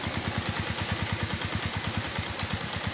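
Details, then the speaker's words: Suzuki Shogun 125 RR after major service, reassembled and restarted: even, steady idle with a regular soft pulse and no misses or knocks; settles straight away, lights no longer flicker, smooth healthy idle. "langsung udah enak tuh lampunya nggak kedip-kedip langsung udah enak suara langsung juga halus"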